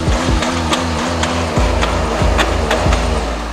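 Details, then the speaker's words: Wrecked VW Golf SportWagen diesel just started: sharp ticks about twice a second over the idle clatter, plus a faint squeak. The other engine doesn't tick; the cause is unknown, possibly the timing belt. "started right up but you can hear like a little bit of a ticking noise right up yeah and like squeaking you hear"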